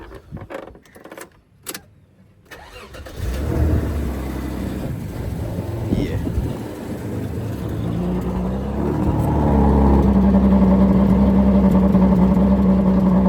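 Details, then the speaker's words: Toyota Mark X, hot from sitting in the sun, misfiring since fitting work after a compression test. It cranks, catches, then idles with an uneven puttering pulse about three times a second; the engine is sucking air, a misfire from a vacuum leak. "ये आपको आवाज़ आ रही करती, ये हवा ले रही है और जब तक ये हवा ले रही है सेट नहीं होगी।"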